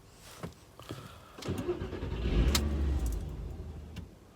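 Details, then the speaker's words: Mk4 Golf V6 4Motion 2.8 V6, new battery fitted, key fob battery changed after fob died: brief crank, engine catches about two seconds then dies cleanly; immobiliser cuts it out after start. "it starts and then cuts out immobilizer"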